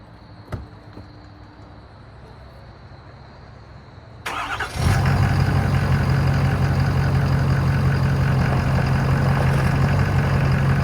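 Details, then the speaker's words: Ford F250 6.7L diesel first start after installing an upgraded ProPower air-to-water intercooler and refilling coolant: quiet, then cranks, catches and settles into a steady, even low diesel rumble with no misses or knocks; healthy idle. "she's she's running so hey oh yeah I'm gonna let it run circulate a little bit"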